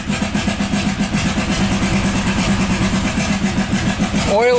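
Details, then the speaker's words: 1997 Buick Century 3.1 V6 at wide open throttle: ragged, uneven chuffing at about four a second, running on one or two cylinders, the worst-running engine the mechanic has seen. Severe misfire from collapsed lifters. "this is the worst running engine I've ever seen in my life"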